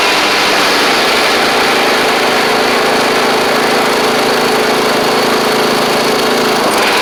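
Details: Troy-Bilt Pony riding mower after an engine swap and head gasket replacement, restarted to compare smoke: loud, steady, high-pitched single-cylinder drone at even speed, no knocks or surging; runs smoothly, smokes a little at startup, much less than before.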